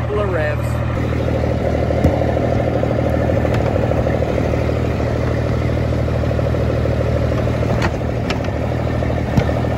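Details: Freightliner FLD120 with Cummins M11 diesel after replacing fuel water separator to stop air entering fuel system: deep, steady idle, about three firings a second, no hunting or stumbling; runs smoothly.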